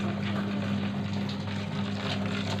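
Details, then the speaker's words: Sharp top-loading washing machine fitted with a universal control module, wash test on the lowest water level: a steady low hum with a faint constant tone and no knocks or rattles; it fills with water normally. "kita pilih dulu water level yang paling bawah ini apa risikonya besok tuh dia mengisi air"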